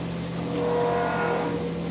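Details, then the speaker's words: CNC mill finishing 2" UNC holes in plate steel with a 3/4 in four-flute end mill: steady cutting roar with a thin high ringing tone coming and going mid-pass; slight end mill chatter, acceptable. "still a little chatter but still good"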